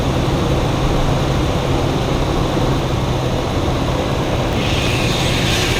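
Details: Lexus GX470 2UZ-FE V8, high mileage, first start after timing belt, water pump and valve adjustment, cold, warming up to self-bleed the cooling system; smooth even hum, no knocks, ticks or misses; normal idle.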